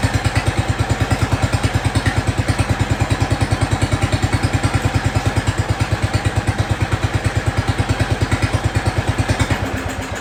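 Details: Jacobsen Chief 1200 tractor, cast-iron Kohler 301 single, after sitting about 3 years; aftermarket Chinese carburetor. Regular, even single-cylinder thumping at a steady idle with no misses or sputter until it drops off. Normal idle.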